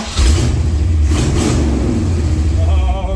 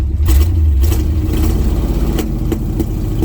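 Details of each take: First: 1980 GMC C35 truck, off road since 2007, after ignition timing adjustment: crisp throttle blips climb and fall cleanly, no popping or stumble; engine pulls clean and healthy. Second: 1980 GMC C35 truck, off road since 2007, during test drive: rough engine drone broken by sharp irregular pops, about ten in six seconds; misfiring, possibly from incorrect ignition timing.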